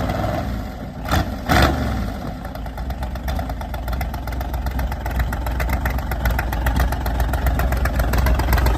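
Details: Volvo car just fired up after being flooded and breaking up: after a couple of blips it settles into a fairly steady, even idle with regular firing. The float level is being checked, and smaller carb jets are suspected to be needed.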